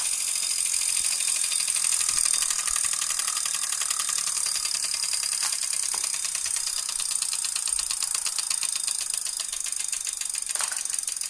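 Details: New Wahoo KICKR Core trainer, loud in operation. Quick, evenly spaced clicks over a high whir, keeping pace with flywheel speed; something inside is clicking, cause unknown, and a replacement unit is awaited.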